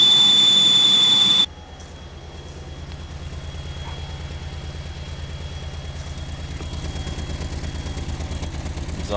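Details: 2001 Pontiac Aztek just revived after sitting since February, heater on: constant high whistle over even, lumpy idle, pitch unchanged; misfire still reported, source not found.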